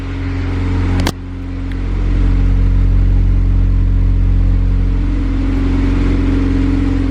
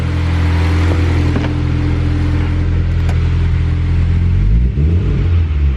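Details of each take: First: eBay turbo kit Honda Civic, new O2 sensor bung welded in and MAP tune issue addressed, warming up with slightly high idle, no fuel leaks: deep, even note swells smoothly with throttle and settles cleanly; ready for dyno. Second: Honda Civic with eBay turbo kit and eBay distributor, just after new injectors were fitted: a low steady idle, but on throttle blips the pitch wavers and sags and it wants to die, with a check engine light. The owner suspects a TPS code, possibly the distributor.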